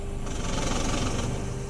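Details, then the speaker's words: 2008–2013 Honda Fit automatic, idling in gear with the AC on: low, uneven rattle and the transmission feels disengaged as if in neutral; not the gearbox but a faulty throttle body (TBI). "ele faz um barulho que nem de chocalho e ele desacopla como se tivesse no ponto morto"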